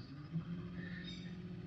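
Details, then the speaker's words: Minn Kota electric trolling motor during a service, run at setting six or seven, fairly fast: steady low hum near 180 Hz with no knocks, slowing slightly as a part is rotated while tuning for the sweet spot. "and I'll get you to listen closely to that humming away there and as I rotate that it seems to be a bit slower"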